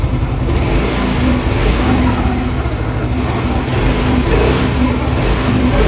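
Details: Yamaha Mio M3 125 scooter after repair: smooth running with gentle throttle blips and no misfire. It starts instantly and idles steadily without sputtering. Cause was a fake NGK plug plus a weak "rotak".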